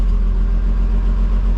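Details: 1950 Chevy Deluxe just rewired from 6 V to 12 V with a one-wire alternator: low, steady idle with an even beat and no misses or knocks. The gauge shows a strong charge; engine running healthy.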